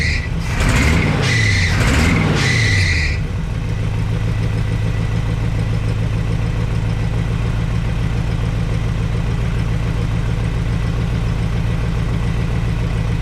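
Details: 1962 Chevrolet C10 warming up, sharp high squeal rising and falling with throttle blips then settling at idle; belt squeal from loose alternator belt, belts later replaced.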